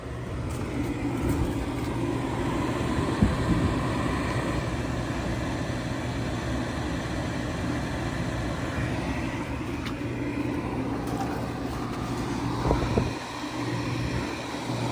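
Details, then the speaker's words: Furnace power vent fan after motor replacement, previously grinding loudly: now a quiet, even whoosh and hum with no rattle, scrape or squeal; normal fan operation, plenty of hot air coming out. "plenty of hot air coming out it's nice and quiet this is great news"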